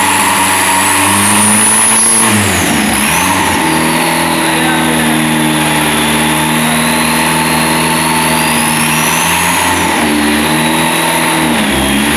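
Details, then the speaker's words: SEAT 124 Turbo rally engine on its first start after build; revving holds an uneven, stumbling note, not clean on all cylinders; misfiring, blamed on missing parts still to fit; cause not confirmed. "Falla porque falta un poco de cosas, está empezando."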